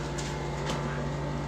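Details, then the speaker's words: Refrigerator: steady low hum under a loud, constant jet-like rushing roar; likely the evaporator fan, probably rubbing on built-up ice. "I heard you need some help with your fridge which sounds kind of like a jet plane going by"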